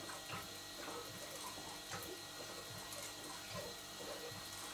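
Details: Large model showman's engine, driver's-eye view: slow irregular gurgling and light mechanical ticking as crankshaft-driven water pump returns water to tank through open bypass; normal.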